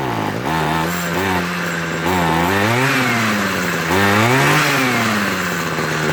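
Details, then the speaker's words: Homelite 26cc hedge trimmer two-stroke after carburetor and fuel line service, warmed up and being tuned. Its pitch keeps rising and sagging every second or so and never settles, hunting while the needle valves are adjusted. Unstable running. "okay guys that sounds a little bit more stable see notice it changed and then i had to open up the needle valves a little bit more"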